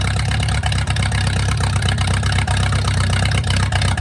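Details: Mercruiser 470 3.7L carbureted marine engine, first run in 16 years, automatic choke not working properly: deep steady low rumble, even firing pulses, no knocks or misses; smooth normal idle.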